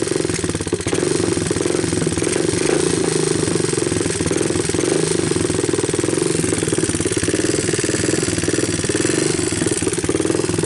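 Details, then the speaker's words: 1988 Honda TRX200SX abandoned for years, cold started with a new PZ27 carburetor, bypassed harness and 12 volt supply, camera close to hear the valves, idle turned up on choke: a loud, steady single-cylinder chatter with no knocks or misses, a healthy motor. "I think this is a healthy motor"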